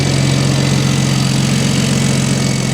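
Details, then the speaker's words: BMW E60 with single-turbo N54, after refitting F80 M3 coils, plugs gapped to .022 and reflashing the MHD tune to OEM coils; steady even idle with a smooth low drone, no stumbles or misses. Normal idle. "running smooth. No hiccups, nothing. Turn on like a factory car."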